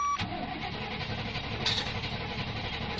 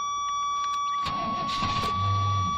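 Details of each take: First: Fuel-injected gasoline Suburban (first year of that injection, known problems) cranks steadily at about four beats a second but never fires; ran before on ether, possibly out of gas. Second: Fuel-injected Suburban started after priming: brief crank, then catches and runs steadily with no misfire; it races at first, throttle suspected sticking, alternator belt noisy.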